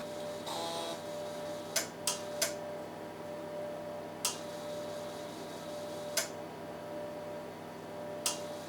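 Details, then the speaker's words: DEC Rainbow 100A RX50 floppy drive, low-level format of real floppy under MS-DOS 2.11 after drive speed out of range error addressed: sharp isolated head-stepping clicks every second or two over steady spindle hum; format succeeded. "it's looking pretty good no errors yet and I hear the drive going so I'm very confident this has worked"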